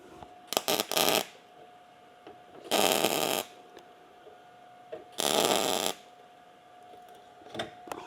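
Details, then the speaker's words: MIG welding a test piece during 280ZX rust repair, with no shielding gas coming out despite a full tank: harsh, uneven crackling and popping in bursts, 'angry bacon' instead of a smooth sizzle, leaving porous welds. "You can even hear it. It sounds like angry bacon instead of just a sizzle."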